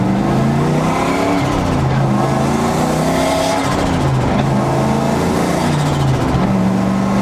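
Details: 2004 Ford Mustang Mach 1 turbo, tune unfinished and not into boost, light-throttle driving with the cutout closed: deep, smooth V8 burble rising and falling through gear changes, no knocks or rattles; healthy.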